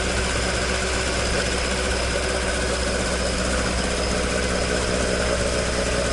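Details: Toyota AE86 with 4A-G engine after exhaust leak repair, stock exhaust: a smooth, even idle with a deep, steady tone and no ticking or puffing. Normal exhaust note at idle.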